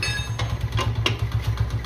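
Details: Honda CD 70 motorcycle just started after full tune-up: small single-cylinder putters at steady low idle, even firing with light tappet tick in background. Normal idle.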